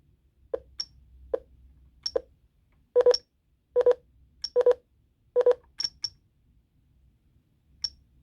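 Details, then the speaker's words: Jeti RC transmitter with a rotary knob set as a repeating trim: short high beeps about once a second as the knob turns, changing to double beeps when the trim reaches maximum. "oh it's gone to the maximum that's why it's i think the trim had reached"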